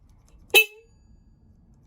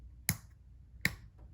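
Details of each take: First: 1995 Honda Shadow VLX 600 (VT600CD), tank and side covers off during electrical testing for a no-start: three short, loud, clean horn toots with nothing weak or wavering; horn working normally. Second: 1995 Honda Shadow VLX 600 (VT600CD) with the start button held during a starting-circuit test: two crisp starter-relay clicks that come inconsistently; the engine start/stop switch is the fault, suspected dirty.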